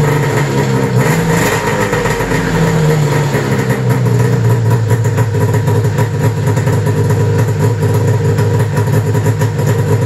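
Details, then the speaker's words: 1995 Arctic Cat ZR700 carbureted two-stroke snowmobile engine at idle after spark and switch diagnosis: lumpy, even idle with a low buzzy beat, no misfires or knocks; pistons worked great, engine sounds good, running normally. "all right guys so that's it you can see those pistons worked great uh engine sounds awesome"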